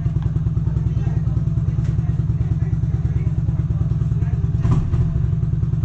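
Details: RPS Condor (Honda Grom clone), 150cc single-cylinder, first startup still on old oil: it thumps evenly at idle, then revs up to a steady stuttering cut at the rev limiter. A crisp, healthy engine.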